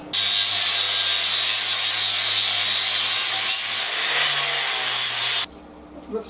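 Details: Homemade 4x36 belt sander test run: steady high whirring belt hum with a low even drone and light regular ticking from the belt joint, then cut off; runs normally and tracks square.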